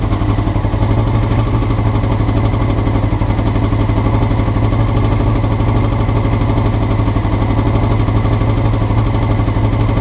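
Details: Honda CBR motorcycle recorded before changing the float needles: an uneven, lumpy idle with an unsteady low beat of about four pulses a second; rough running, cause suspected, not confirmed.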